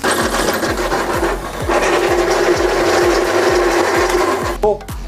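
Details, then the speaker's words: Electric bicycle hub motor, 15,095 km, lower-voltage (not 48 V) system: loud rhythmic clunking and gritty grinding over motor whine from broken planetary gear teeth. "유성기어가 망가지면 이런 소음이 발생이 됩니다 엄청 시끄러운 소리가 나죠"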